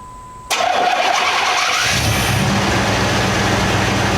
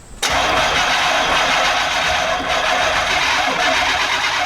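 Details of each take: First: 1989 Chevy K5 Blazer (square body, throttle-body injected) with an intermittent crank-no-start, restarted after sitting an hour without the prime jumper: starter cranks briefly, engine catches at once and settles into a steady, even idle; starts and runs normally. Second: 1989 Chevy K5 Blazer, throttle body injected, air cleaner removed, spark tester on a plug wire. Starter spins the engine evenly for about six seconds but it never fires. Fuel pump primes for 2 seconds at key-on; crank-no-start.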